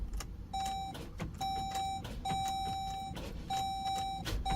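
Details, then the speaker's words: Dodge Durango no-start with a new battery not taking a charge, even after charging, while the charging system works: sharp irregular clicks under a steady warning chime, never cranking; battery too weak to turn the starter. "One, that the charging system is working because you obviously was living off the alternator, and two, the battery's simply not taking a charge."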